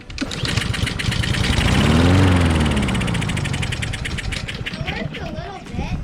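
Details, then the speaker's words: Discarded Honda lawn mower that won't start; with starting fluid sprayed into the cylinder it fires in a quick burst, climbs briefly, then sputters and dies, showing spark present but fuel starvation, carburetor suspected clogged. "It worked a little bit. So that tells us the starting fluid in the cylinder tells us that we've got fuel in the cylinder and tells us we have a spark. So now what the problem is we're not getting enough fuel into the cylinder."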